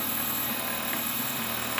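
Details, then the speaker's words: DIY 3D printer/mill Z stepper motors, thought to be on half stepping: harsh buzzing whine with rough chatter, worse depending on where they stop in microstepping; owner plans single stepping and tweaking voltage; stepper motor whine. "so getting an awful noise off the zmotors it seems like depending on where they stop with a micro stepping they sound horrible"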